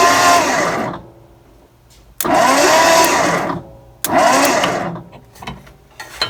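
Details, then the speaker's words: 1963 Mercury Monterey, not started since 1976, cranking: three steady two-second starter bursts that never catch. There is no spark at the points or coil; the points barely open and the condenser looks burned, so new points and condenser were picked up. "i was unable to get any kind of real adequate spark between the point contacts i was not able to get any spark at all on the coil there so uh decided to go ahead and pick up some points and condenser"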